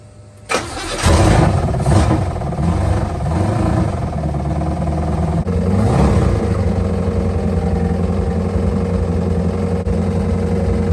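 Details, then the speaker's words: 1949 Chevrolet 3100 with a used 350 small-block V8 and rebuilt Holley 750, first start with no exhaust welded up, about 1800 rpm, 160°F, good oil pressure: fast idle with a loud rapid bottom-end knock; the owner suspects a rod hitting the oil pan. "Making a horrible knocking sound, so that's good. It's coming from a rod hitting the oil pan, I think."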